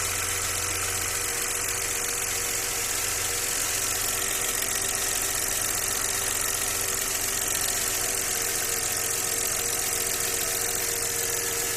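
V6 idling with a light, fairly regular tapping over a hissy, high-pitched background; there is a knock at idle, but its source is unclear.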